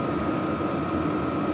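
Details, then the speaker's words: WIPPRO 8 kW diesel heater, brand new, first run just fired up with smoke burning off the metal tubing: steady, even whirr with constant mid-pitch hum and soft combustion rush, no surging or popping. Normal running. "all right this unit is is fired up now you can see here some smoke coming off of this uh metal tubing as it's burning off"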